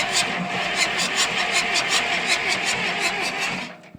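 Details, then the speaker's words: John Deere 2640 tractor (about 1980–81) revived after sitting for years, no fuel yet, battery hooked up to check the starter isn't stuck: even starter whir with regular pulses, nearly three per second, turning the engine freely without binding or grinding. "But anyway, we're gonna try to crank it right now, or try to make sure the starter ain't stuck."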